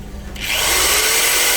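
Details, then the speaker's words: Cheap modified-sine car inverter, about 207 V at standby, running an electric drill: rising whir settling to a steady tone as the voltage drops sharply, inverter sags badly under drill load. "Oh, turun dari 93 sangat jauh."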